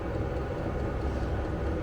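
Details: Vevor diesel air heater in a Fiat Ducato van, app showing room 20°C, level 10, combustion chamber 277°C, 100 m altitude: steady low burner and fan rumble, even drone, no pulsing or flutter; normal running.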